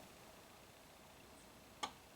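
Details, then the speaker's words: 2017 Subaru Outback with parasitic battery drain and dead driver's window: a crisp relay clicking on and off from the driver's window switch module, which cycles awake instead of sleeping when the big signal connector is plugged back in. "and we start getting that funky on and off, click, click, click, click."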